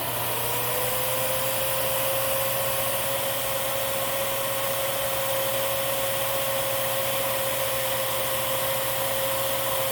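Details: Miele Swing H1 (Quick Step) upright/stick vacuum, airflow test on the low setting through a 35-to-32 reducer: the motor spins up briefly, then settles into a steady even whine with smooth airflow rush. Normal low-speed running.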